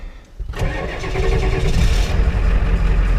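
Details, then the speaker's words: 1993 Ford E350/E450 box truck with 7.3 IDI diesel, 230,000 km, cold start after sitting about a year, glow plugs cycled twice: brief crank, catches within a second into a firm, even clatter; healthy, no blow-by. "This thing started, it sat for a year and it started without any issues. This thing, man, is a trooper. The engine sounds really good."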